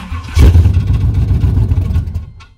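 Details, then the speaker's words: 1994 Chevy C1500 Silverado 4x4, started on jumper cables with fuel poured down the intake: short crank with a harsh grind as it fires and revs, then dies; the starter grinds, its gear not meshing cleanly. "fired right up but uh sound like our starter grinding a little [Music] bit let's try it again go ahead and have all of [Music] it"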